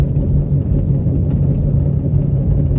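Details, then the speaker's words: Car driven slowly down the street after sitting long: low steady growl and hum from a known bad wheel bearing, previously clunking; pulls slightly to one side under braking; transmission and engine otherwise fine. "Wow, that sounds that sounds bad. When I hit the brakes, it pulls a little bit to one side."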